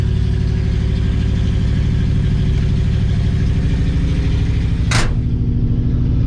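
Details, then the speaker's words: 1965 Chevy C10 started after sitting seven or eight days on a warm day, needing throttle pumps and full throttle after suspected flooding: deep, lumpy low idle with uneven pulses and heavy shaking beat; rough, cause unclear. "hate this thing sometimes i'm telling you it's like it never has its happy place or like it's median"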